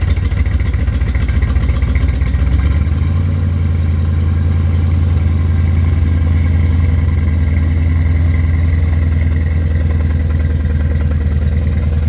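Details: C4 Corvette V8 on its first start in 12+ years, with a new Bosch OE fuel pump. Low idle settles lower after a brief rev, with an uneven, lumpy beat. The owner suspects a misfire, probably one cylinder.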